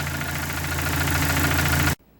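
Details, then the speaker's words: Dodge Neon race car with a replacement engine at idle: quick, light ticking over the engine note before shutoff. Valve train noise remains after the valve gear was changed; the owner suspects debris in the lifters. "Still don't know what to make of that valve train noise. I mean, I've changed all the valve gear in it, and it still makes exactly the same noise."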